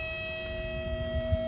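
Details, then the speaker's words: VW ID.4 at a DC fast charger (fourth unit tried): steady electrical hum with fixed tones and uneven low rumble like power surges; only 35 kW delivered, then power drops and charging fails. "I don't know if you can hear, but it sounds like electrical issues in here. It sounds like power surges."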